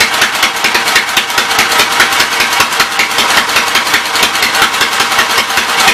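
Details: Westchester small single-cylinder engine, restarted after refitting the starter generator and belt: quick, even popping idle with steady rhythm and no knocks or misses; runs healthy and pumps oil.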